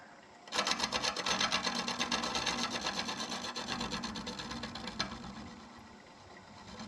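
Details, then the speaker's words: Lathe turning an apple burl hollow form in reverse at about 500 rpm, scraping lightly to remove tear-out. Rhythmic clunking about eight per second in time with the spin, easing off later as the scraper hits uneven torn-out wood; smoother afterwards. "And I'm just listening to it. When I hear it not going clunk, clunk, clunk, then I know, then I think I'll have it scraped out pretty good."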